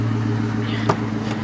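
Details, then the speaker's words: Auction sports car with cobra caliper emblems and some miles, needing a little work; even deep burble at idle with a steady low drone and one brief pop, exhaust sounds good, running very well. "exhaust sounds good like i said running very well"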